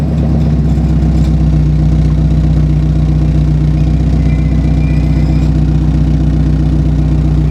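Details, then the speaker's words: NB Mazda Miata after exhaust swap from wrecked car: loud deep running with tinny buzzing rattle on each exhaust pulse as the pipe rubs the underbody cradle dropped during install. "It sounds like it's like rubbing against something though. Oh no, it's that cradle that drops down. That I pulled to do the exhaust."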